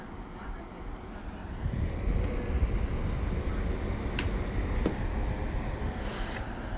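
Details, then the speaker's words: Windstream fan running: a steady, low rushing roar with no distinct motor pitch; very loud but moves little air because the airflow is restricted. "makes all this noise but don't hardly move in here barely moves the air because the air is restricted"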